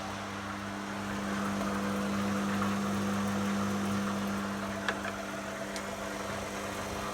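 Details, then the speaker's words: Beko washing machine after circuit board solder repair, empty drum on spin-and-drain test: steady even hum of the drain pump for a few seconds then stops; normal drain pump operation. "And so now we're going to put it on we'll put it on a spin and drain program. That's the pump working. There's no water in it."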